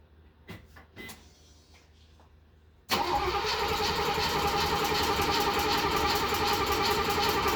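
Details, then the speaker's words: Mercedes 280SEL 4.5 after replacing the fuel pump and fitting a new battery: after a pause the starter cranks at a steady, even pace and the fuel pump is heard, but the engine doesn't start. "so that's the reason why it's cranking cranking I can hear the fuel pump"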